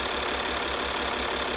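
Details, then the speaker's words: Maserati diesel bought from Copart, first start after a flat battery: even diesel clatter at a steady idle with no misfire or knock. No leaks, and the engine sounds healthy. "How good does that sound? It's running. And there's no leaks. And it doesn't sound like it's got a problem, like engine-wise."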